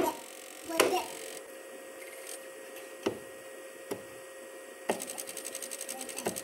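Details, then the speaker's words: PS2 that won't read discs: a few sharp clunks then a constant rattling grind, about seven ticks a second, on startup and when the tray opens; more than a dirty lens suspected, later cleaned and lubricated laser tracks. "it's got a rattling sound in there when it first starts at and then when you open up the tray it makes the same grinding sound"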